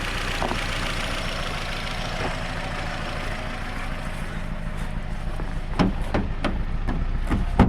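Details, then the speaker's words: Nissan Rogue after new spark plug and ignition coil install, multiple cylinder misfire code P0300; uneven stumbling idle with irregular loping beat and occasional sharp pops, no smoke, heavy misfiring at idle; stalls on test drive. "so it's not smoking so that's something to be noticed it's not smoking but it's doing a lot of misfiring"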